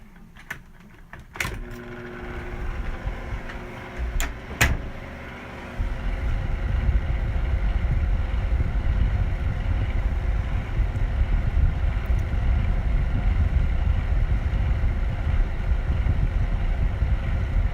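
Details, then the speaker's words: Vornado 573 box fan with very bad worn motor bearings: after a few clicks it spins up to a heavy, rough low rumble instead of a smooth hum; fan about to die. "has very bad bearings, and the fan's about to die real soon."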